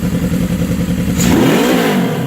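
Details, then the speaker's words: 1979 Suzuki GS750 four-cylinder with rebuilt carbs, idle adjusted after first start in over a year: it runs crisp and strong, and a quick throttle blip rises and falls smoothly with no misfire or stumble; normal running. "Oh, that's strong. That's the best she's had in years, man."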